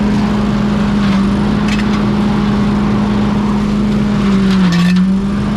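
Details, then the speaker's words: Walker mower leaf loader blower after being reassembled, fired up to test it; steady low hum with an even tone and no scraping or rattle, so the blower is spinning up and running smoothly. "I can hear it already that it's working you can hear the humming noise"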